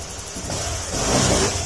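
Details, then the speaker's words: Honda Click 150 scooter, 41,000 km, after engine overhaul with crankshaft work and ECU wire rerouted; short throttle blip rises cleanly and drops to smooth, even idle, no knocks or rattles, quiet again; normal rev and idle. "Tahimik na ulit."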